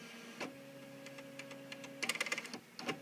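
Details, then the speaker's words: Bernina 200/730 embroidery module Y-axis sensor test: steady low motor hum as hoop moves, then quick light clicks from the hoop-size switch detecting a large hoop; sensor okay, working normally. "the clicking there that clicking is the switch that's detecting what size hoops on the machine so we're not only showing here that the y-axis sensor is okay"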